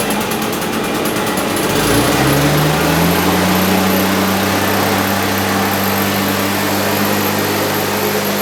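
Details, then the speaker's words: Husqvarna 150BT backpack blower, rebuilt from a pile of parts after a no-start (owner blamed the coil; carb kit fitted), fully reassembled and tested the next day: fires after a couple of seconds, climbs to a steady even high buzz, no misses; running properly. "well there you go so you saw this blower go from a pile of parts to an actual working machine pretty cool huh"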